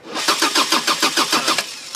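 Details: 1999 Subaru Legacy that died while driving and won't restart, cranking with spark, injector pulse and compression present; even quick cranking beats, about six or seven a second, never firing; passenger-side timing belt skipped two teeth, no valve damage.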